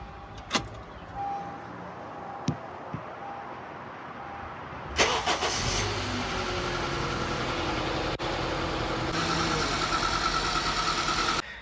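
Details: 2012–2014 Honda CR-V cold start after the cold-start rattle fix done without chain or gear removal: cranks, catches quickly, settles to even idle with no rattle; normal.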